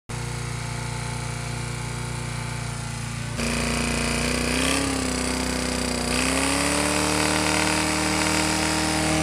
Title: BRIGGS & STRATTON GETS A BREATH OF OXYGEN (rod knock)